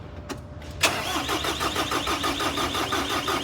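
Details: Doosan D35S-7 forklift diesel, previously just clicking with no crank (battery 12.8 V), broken wire repaired: short crank, then catches cleanly into a steady even idle with quick regular beat; starts fine.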